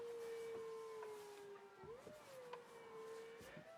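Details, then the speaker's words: MK6 Fiesta ST150 converted to electro-hydraulic power steering with a TRW pump from an Astra, ignition on, window down: a loud steady mid-pitched whine that bends briefly as the wheel turns and is slow to build speed. Steering is light and consistent; normal pump operation. "the pump is very loud unfortunately but it is what it is you'll be able to hear it obviously it is built for a race car this pump like drift boys use it yeah it takes a bit longer to build up to speed"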